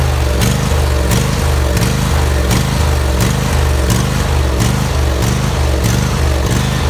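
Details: Husqvarna YTH2348 riding mower with a 23 hp engine and 48-inch deck: speed rises and falls about every three-quarters of a second in a steady hunting rhythm. Engine surging.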